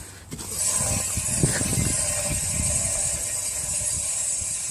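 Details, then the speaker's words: Audi S3 raised rear wheel turned by hand while chasing a rear squeal: irregular low clunks and scraping knocks over a steady hiss, suspected wheel bearing. "i had a bit of a clunk in there as well"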